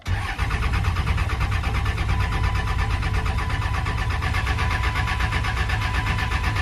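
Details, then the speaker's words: 1999 24-valve Cummins diesel pickup, 304,000 miles, sat 2–3 years, with injector lines loosened to bleed and a weak factory lift pump. Steady, even starter cranking with regular compression beats and no firing: crank no start from no fuel delivery. "Still waiting on some diesel. And I gotta. These factory lift pumps just really aren't that good. I think they only run when you're cranking or something like that."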